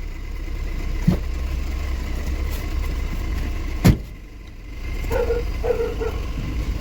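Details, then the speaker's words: Tata Intra V10 on road test after rear differential pinion repair (previously knocking and whining from rear axle, pinion play); steady low road rumble, no whine or clunk from rear; differential now normal. "ਹੁਣ ਕੋਈ ਵੀ ਡਿਫੈਸ਼ਨ ਦੀ ਵੀ ਕੋਈ ਵੀ ਪਿੱਛੋਂ rear ਆਵਾਜ਼ ਨਹੀਂ ਆ ਰਹੀ"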